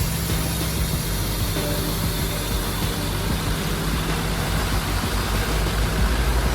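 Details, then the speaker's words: Abandoned Ford F550 diesel on its second start, AC compressor and belt refitted after lift pump replacement; steady low rumble with a loud, constant turbo hiss, running smooth and healthy; normal idle. "All right, just like that, guys, she's running nice and beautifully."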